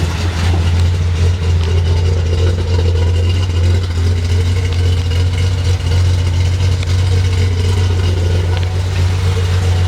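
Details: Datsun 240Z with carburetors (not yet tuned) idling steadily at about 1000 rpm with an even low rumble after replacing a leaking balance tube gasket found by smoke test; vacuum leak rough idle fixed.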